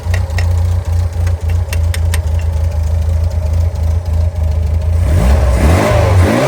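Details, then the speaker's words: Engine, after fuel pipe reconnected to pump and letting carbs settle: settles into even low idle, then picks up cleanly when revved, no misfire or knock; running healthy now. "I think it's settled now."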